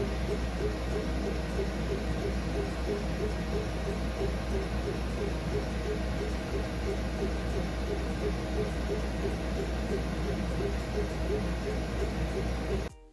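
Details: Glowforge Pro laser cutter engraver running a job: steady fan drone with faint, evenly repeating chirps as the head moves back and forth; normal operation.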